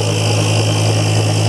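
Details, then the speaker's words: BoxMotor pulse motor at about 120 V on three coils after bad-chip replacement: steady even low hum with resonant drone, no knocks or dropouts; coils working properly. "with three of those you can always tell when these are working you can hear them they resonate so when your coils are working you can hear them so that's running three coils"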